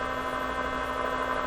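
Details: 1957 Chevy Wonderbar car radio cautiously powered up on about six volts, cooling fan audible: a steady loud buzz with a clear low hum from the speaker at power-up, vibrator-like; cause not yet traced.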